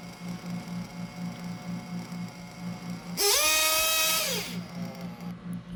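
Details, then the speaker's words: 1/8 RC nitro engine during carburetor tuning: a choppy idle, then a shrill rev that climbs, hangs and sags back to a lumpy idle. It is still loading up rich on throttle, so the low-speed needle is leaned further. "so there i waited a bit just let it idle it does idle steadily but then i get on the gas and it still seems that the engine is loading up that it's rich"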